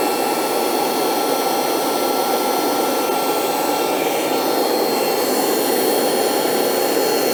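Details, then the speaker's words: Dumore toolpost grinder, high-rpm motor on temporary glued belt: high steady whine holding one pitch, no knocks or wobble, smooth once rpm came up; normal running at speed. "It smoothed out when the RPM came up."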